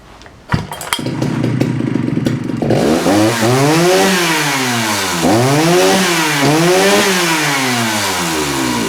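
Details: Jonsereds 70E two-stroke chainsaw tested to see if it runs: it pulls over, fires and settles into a raspy run, then revs up and down smoothly three times; it sounds healthy.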